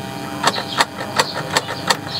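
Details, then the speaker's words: Car that suddenly will not start, battery suspected dropped or shorted: slow, labored clunks at about three per second as the starter barely turns, and the engine never catches. "Tidak bisa ngangkat atau tidak bisa menyala, jadi otomatis ini akan kita atasi."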